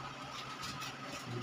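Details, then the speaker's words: Automatic washing machine on spin dry: steady electrical hum with the motor struggling to turn, no rising spin sound. "oh kung papansinin niyo Mahirap siyang umikot umuugong lang yan ang sira niyan"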